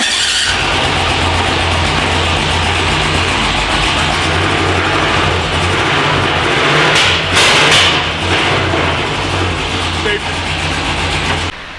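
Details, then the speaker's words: Driftworks DW86 700hp V8 first run in a year after a Silverstone brake-pipe fire, on poor, temporarily adjusted plug leads awaiting new ones: loud, ragged, lumpy running with revving; misfiring on some cylinders suspected. "I've had a look at the leads. They're not ideal, but we are waiting for a new set to come from America at the moment, so they're not going to be here for a couple of days."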